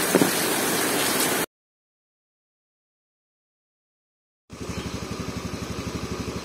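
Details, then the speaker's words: Motorcycle single-cylinder engine after piston replacement, lubricated and rebuilt: even, steady putter about four beats a second with no tek-tek ticking or knock; normal smooth idle, connecting rod fine. "Untuk suara mesinnya halus ya, tidak ada suara tek-tek-tek yang dikhawatirkan"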